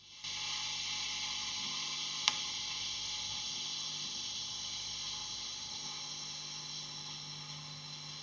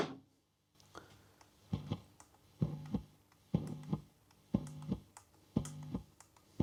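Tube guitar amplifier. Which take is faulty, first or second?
second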